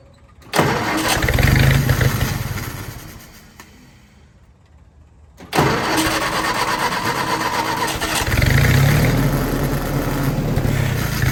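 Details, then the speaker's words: Willys-powered 120/240V 52 A Army skid generator, electric fuel pump, fresh fuel: cranking churns, dies away, then catches into steady low run with slight surge; starts but only runs with choke held on, carburetor rebuild needed. "so it runs and i see why the previous owner had this wire on here if you trace this sucker back if you hook it up here it holds the choke on so the gentleman was telling the truth it did run but only if you held the choke on"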